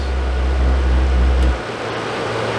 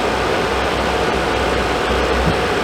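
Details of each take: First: Suburban RV furnace (SF30FQ), after control board replacement: burner roar drops away after 2-3 seconds leaving fan hum; board LED seems to show gas valve being cut off; burner tube and orifice suspected, unconfirmed. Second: Suburban RV furnace after fitting a new Dinosaur Fan 50 Plus replacement control board: lit first try, steady rushing airflow with a faint constant hum, no clicks, rattles or surging; normal operation after repair.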